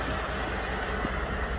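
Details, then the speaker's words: 2011 Ford F150 V8 idling smoothly and evenly with a steady low rumble, no misfire and no check engine light after the exhaust valve problem was fixed. "no misfire nothing I just start it up no check engine light"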